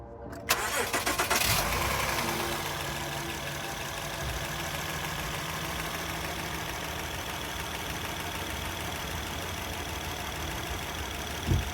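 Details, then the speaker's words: Engine cranks, catches and idles with a fast light tick, about four per second; an oil leak is dripping onto the exhaust and smoking, and the mechanics ask whether that is where the tick comes from; source not pinned down. "The reason it's smoking is it's leaking directly down into the exhaust, >> which is where is that where the tick is coming from?"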